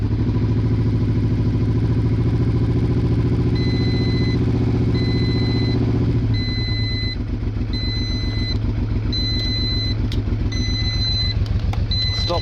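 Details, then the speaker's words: Honda Bros/Hawk GT 650 V-twin, late-80s, just started cold after battery recharge: uneven, lumpy loping idle on one cylinder that smooths and firms after about six seconds as both cylinders fire. "that's like it's running on one Oh"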